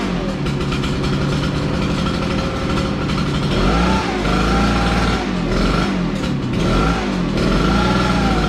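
Small engine revving up and settling, the pitch swelling and dropping with the throttle, firing evenly with no knocks; sounds healthy.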